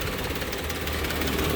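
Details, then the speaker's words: Used 2016 car, odometer reading 67: steady, even small petrol engine idle rumble with no missed beats, ticking or knock; engine described as very smooth. "Dan untuk mesinnya sangat-sangat halus ya. Mesinnya sangat halus."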